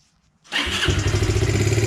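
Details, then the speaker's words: 2001 Yamaha Grizzly 125 single after fitting a Chinese replacement carburetor with 1/4 inch fuel hose: fires at once and settles into a steady, even idle; clean quick start, throttle still needs slight adjustment. "Starts right up now. Throttle needs a little adjusting, but just finished it up."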